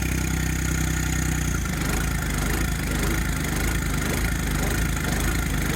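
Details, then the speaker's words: John Deere 1025R turbo diesel tractor, cold start at 40°F in Arkansas; clattering uneven lope pulsing about twice a second, rhythm shifting partway; owner says it goes away warm; starts smoothing out. "Cold start in Arkansas. 40 degrees. That sounds awesome. It won't do that whenever it warms up."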